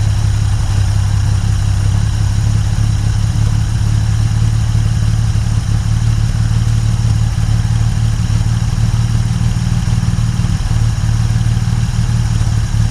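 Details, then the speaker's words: 1950 Dodge Meadowbrook engine idling after rewiring, 40 lb oil pressure, radiator being filled: even, steady low rumble with no misses, knocks or ticks; sounds pretty good, normal healthy idle. "I mean, that sounds pretty good, doesn't it? Is that just me? My exuberance?"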